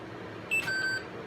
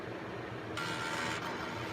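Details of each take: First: Intel 386 DX-25 PC unused for 15+ years, powering up: single short high beep from a quiet machine, then BIOS errors reporting CMOS lost power; dead backup battery lost its settings. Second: Intel 386DX-25 PC unused for 15+ years, powering up: quiet hum, then a short buzzing chatter for about a second as the floppy heads seek during startup; normal floppy drive seek.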